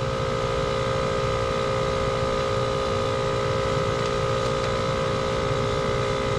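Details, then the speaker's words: Two-stage scroll gas pack with condenser fan off: steady, strained compressor drone with no fan whoosh while head pressure climbs from about 325 psi; the pressure switch is expected to open near 550–560 psi. "it looks like at 560 maybe 550 depending on the actual details on my my meter and my gauges but somewhere around 550 I should lose my DC voltage here"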